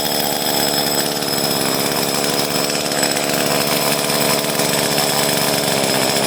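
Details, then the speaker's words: Echo CS-303T chainsaw after loosening and re-tightening the carburetor adjustment during a tune-up; steady, even high buzz with no stumbling or surging, running cleanly and idling properly, likely no further adjustment needed. "Now it's actually sounding better. Like, I don't think I have to adjust it at all,"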